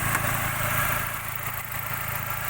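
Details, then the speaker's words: 2000 Suzuki Baleno DX manual sedan: even, steady, smooth idle with low hum and no knocks, ticks or stumbles; normal healthy idle, engine responsive. "Mesin juga suaranya masih halus. Kita nyalakan sini ya. Nah, suaranya masih responsif."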